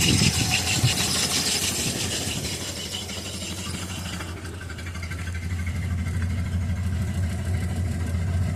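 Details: Normal idle after repairing the exhaust leak and the cracked intake manifold: steady low hum with no puffing or ticking from the exhaust.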